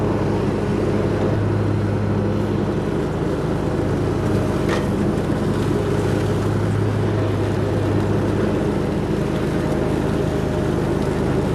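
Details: Hustler Raptor SD zero-turn mower, which kept throwing its deck and hydro belts, running after a deck and spindle rebuild: an even, steady engine drone with no knocks, surging or grinding. It runs healthy.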